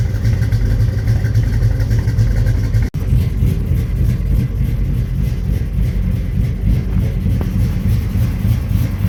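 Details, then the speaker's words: 1983 Chevy C10 step side, 383 stroker V8 installed about 20–21 years ago, cold start before a heater core replacement: deep, steady lope at fast cold idle, even firing with no knocks or misses. Runs phenomenally, a normal cold idle. "but it does start now and runs phenomenal okay let's do a cold start on this 1983 Chevy C10 with a 383 stroker in it"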